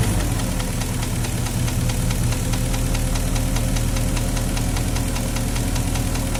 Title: Porsche Cayenne 4.5 v8 M48.00 стук в двигателе - engine knocking